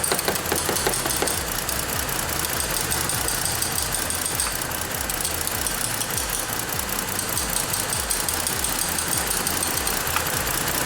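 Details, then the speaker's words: 2014 Ford Explorer 3.5L, bank 2 cam/crank correlation (P0019) and misfire codes, unplugging the oil control valve does nothing: uneven, loping idle with irregular stumbles over a steady low rumble; stuck bank 2 exhaust cam phaser. "See if it's stuck, maybe it'll free up and then start running good."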